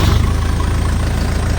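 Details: Farmall 95 three-cylinder diesel tractor that ran out of fuel, after bleeding air by cracking the injection lines: even steady low diesel chug with no stumbling or surging; normal idle.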